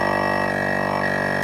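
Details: Jeep on-board air compressor being worked on, powered directly with 12 volts from a power probe on its power wire, keys off. Steady electric whir with a fast, even pulse, cutting off after about a second and a half: compressor working normally.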